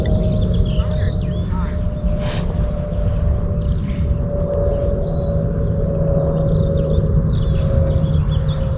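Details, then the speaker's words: ArduCopter 6-inch race quadcopter during roll autotune, roll angle P gain oscillating: steady buzzing, vibrating hum riding over the rotor roar; frame resonance, addressed with the second harmonic notch filter. "so it was interesting you could just hear when angle P was doing like that you could just hear the the frame resonance at that point just hear that sort of vibrating noise"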